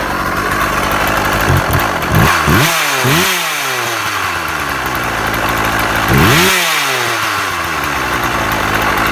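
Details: Husqvarna 36 chainsaw after repair (impulse piece thought to be the problem), warmed up: two-stroke idle with crisp blips that climb and fall back cleanly to steady idle; restarts first pull every time; normal idle and revving.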